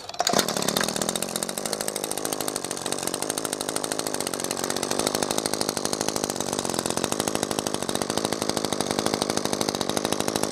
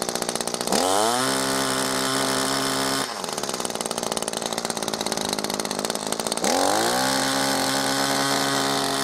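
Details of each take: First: New Echo SRM-2620T two-stroke line trimmer, first start after possible flooding: fires up, steady high buzzy idle with even beat, no sputtering; running normally. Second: New Echo ProXtreme SRM-2620T two-stroke line trimmer, first start, possibly flooded: buzz hunts and sags, then climbs and steadies, probably as fuel gets through the carburetor. Rough first-start running.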